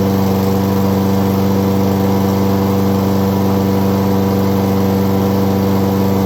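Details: 2011 Craftsman lawnmower 247.371240 running after its carburetor was cleaned twice and the spark plug replaced: steady and even at about three beats a second with no misses or knocks; runs normally.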